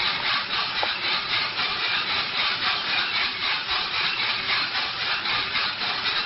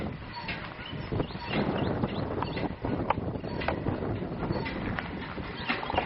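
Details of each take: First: RK Drums 4 lb coffee roaster drum on a gas grill, loaded with 4.75 lb green coffee at about 600 degrees, motor just switched on; steady dry rustling with a soft swish about once a second as beans tumble evenly. Normal operation. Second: Empty RK Drums 4 lb drum turning on the motorized rotisserie during gas grill preheat; uneven hollow knock about once per rotation over burner rumble as the drum flops loose on its rod. Harmless; center-punching the drum flange tightens it.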